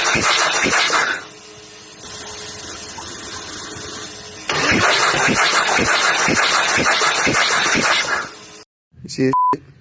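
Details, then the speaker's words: Skid steer diesel hydrolocked after the machine was flipped over, oil in the cylinders: fast even cranking with all injectors removed, no firing and no compression catch, clearing oil from the cylinders. "fun fact kids when you decide to flip over a machine Doyle gets into the cylinder and it Hydra locks the motor so now we've pulled out all the injectors we cranked her over already"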